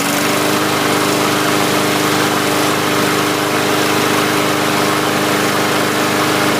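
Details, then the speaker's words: 2017 MTD push mower with a Briggs & Stratton engine, started after clearing dirt dauber debris from the breather tube: steady, even drone at a constant pitch with no misses or surging. Now starts on the first pull and runs healthy. "had me scared there for a minute when it wouldn't start was hoping it was not a compression issue so last couple pulls it started on the first pull so i'm kind of happy"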